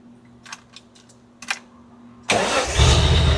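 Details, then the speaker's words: 1971 Datsun 240Z after restoration, first start, in neutral: a few quiet clicks, then it fires right up and settles into a smooth, even idle with no sputtering, carbs apparently close to synced. Normal cold start and idle. "Well, that was easy. Dang. So, it really runs smooth. Um, sounds great. It sounds like an electric motor up here."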